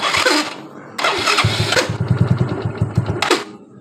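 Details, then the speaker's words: Yamaha Mio Soul scooter: harsh rough grinding bursts when the electric starter is pressed and again when switching off, then the engine catches and runs evenly; worn, loose starter-motor bushing. "Dipencet elektrik starter bunyi seperti tadi, dipencet ataupun saat motor mau dimatikan bunyi kasar seperti tadi."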